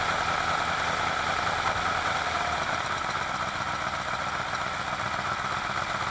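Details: Alfa Romeo Montreal V8, first run after head gasket repair, valve stem seals, oil leak fixes and Spica pump drive pulley bearing replacement; well-worn engine: steady even idle, no knocks, misses or hunting, smoother with better oil pressure. Normal idle.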